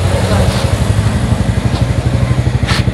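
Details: Honda Supra Fit motorcycle single-cylinder being test-run after a burnt stator coil repair; idles with a steady putter of about four beats a second, no misfire or stumbling. A rubbing noise was noticed earlier.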